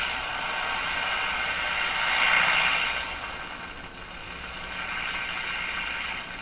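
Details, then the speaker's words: Mohawk Model 1240 five-tube radio operated with the AVC capacitor removed: hissing rasping roar swelling and fading, swooshing while tuning, no stations received; open-circuited grid sound from missing AVC capacitor. "interesting sound there that sounds like an open circuited grid um oh it also sounds like my hand is on the chassis but it still has that open circuit grid sound to it"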